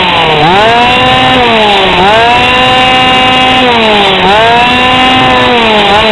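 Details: GoPed GSR40 two-stroke with 603 carb and TGN manifold, high and low needles at 1¼ turns out: it revs cleanly up and down, climbing crisply to a steady high buzz with no bogging or sputter. The carb is well tuned, normal running.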